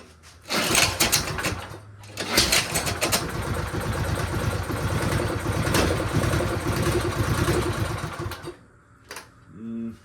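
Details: Snow blower returned by a buyer for barely running. With old fuel drained and fresh gas added, the small engine catches, then runs rough and uneven with a wavering beat and fades. No difference yet; cause not found.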